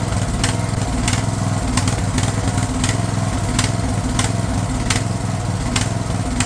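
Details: Craftsman LT1000 riding mower/tractor, fed gas of uncertain freshness, holds a steady, even single-cylinder beat at constant speed with no misses or surging; running healthy after the fuel solenoid was found cut off.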